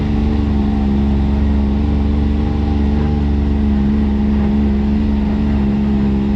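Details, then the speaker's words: X3 side-by-side driving after carrier bearing replacement and front prop shaft reinstall (previously squeaked, worse at speed); steady even engine drone, no squeak, chirp or whine, drivetrain quiet as new, repair confirmed. "quiet as she was brand new man i'm pretty excited that this worked out"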